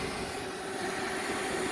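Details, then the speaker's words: Lennox rooftop package unit: the original inducer motor, removed from the unit, hums steadily when powered with no call for heat, backfeeding through a bad ground. "So we somehow have an inducer motor that is backfeeding inside and yeah, somehow ge"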